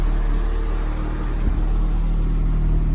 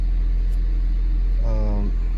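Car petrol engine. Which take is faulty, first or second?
first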